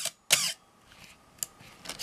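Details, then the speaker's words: Canon AE-1 Program 35mm SLR with FD 50mm f/1.8 lens, fired around 1/4 s with aperture stopped down, pre-sale check. Two crisp shutter snaps a beat apart with a short raspy squawk between: shutter squeal ("Canon cough"); otherwise works. "and then the cycle completes so everything worked but we did hear that squeal"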